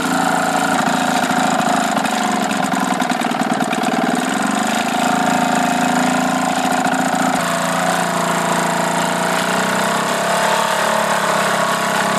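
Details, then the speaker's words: Old single-cylinder Johnson 2 HP two-stroke outboard after new piston rings, adjusted points, rebuilt carburetor, new head gasket and impeller: buzzy, fast note holding a steady high idle on choke without stumbling; normal running. "I ended up putting in new piston rings and adjusting the points on it. It's a pretty old motor, but it seems to run good now."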